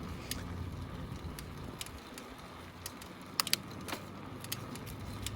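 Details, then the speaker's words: Kona Cadabra mountain bike ridden after bottom bracket removal and reinstall: sharp irregular clicks about two a second over riding rumble; cause unknown, owner suspects the worn cassette and chain, with a new bottom bracket also planned. "i'm still hearing some clicking so i think before i actually put the new bottom bracket on i'm gonna get a new cassette and a new chain because the drivetrain is pretty worn out clicking could be coming from that too"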